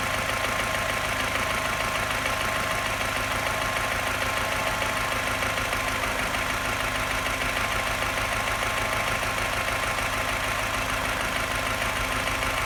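Steady idle with a light, quick tapping and an uneven, lumpy beat as revs sit low; the misfire points to an unknown cause.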